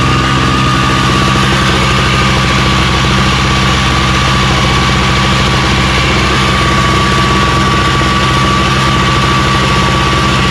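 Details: Craftsman snowblower running after electric start (primed, full choke, carb spray; pull starts had failed): steady, even small-engine drone at constant speed with a faint whistle on top; nothing wrong with it.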